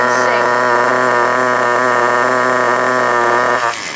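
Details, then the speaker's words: FTX Carnage NT 1/10 nitro truck, GO .18 engine at operating temperature, after the idle screw was raised: high, steady buzzing idle with no hunting or dropouts for several seconds before shutoff; normal idle, before the fuel-line pinch test. "Okay, so that's that issue resolved. You can see the engine will now sit there and sing by itself."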